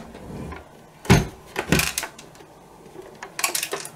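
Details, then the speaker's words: Nintendo Entertainment System that won't power on, being tipped over before opening: irregular clunks and clatter of something loose sliding inside the console. "there's something loose uh inside the console which is never a good sign"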